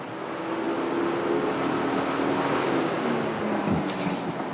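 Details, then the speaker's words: ThinkTool 399 scan tool bi-directional actuation test commanding the electric cooling fan on from the engine control module: loud, steady rushing whoosh with faint even hum, "sounds like it's about to take off"; normal electric fan operation. "Sounds like it's about to take off."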